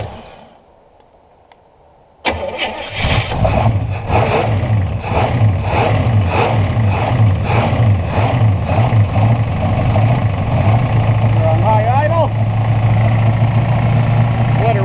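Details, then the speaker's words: 1968 Buick Skylark Custom sat about 40 years, first start with PCV hose plugged, smoking a little: fast idle with light regular tapping three to four per second; owner suspects rod knock, knock later went away. "up a bit just smoking a little you hear that little knock that doesn't sound [Music] good"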